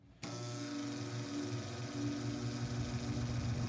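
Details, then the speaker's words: Vintage 1970s Eskimo 20124 fan motor hums and buzzes as it starts, sounding sluggish and strained getting up to speed, buzzing louder on low; the two speed coils are suspected of buzzing, not confirmed. "sounds like it's struggled because it struggles to get up to speed there it's a little ridiculous it I think it buzzes louder on low on Startup"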